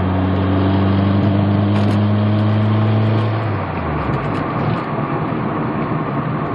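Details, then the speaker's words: 2003 Mazdaspeed Protege under boost, dropped to second gear: steady drone then the note stumbles and drops off partway through the pull; clear hesitation, misfire under boost, seemingly not RPM-related. "There's definitely hesitation there."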